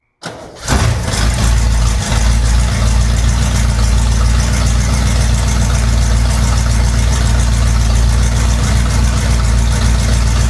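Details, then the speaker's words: 1961 Cadillac DeVille, engine and transmission refitted from a hearse, first start of abandoned project once fuel reaches it: quick crank, catches at once, settles into deep steady V8 idle, even beat, no knocks; normal start and idle. "Here it comes. Yeah, we're getting fuel. Sounds pretty good. Working."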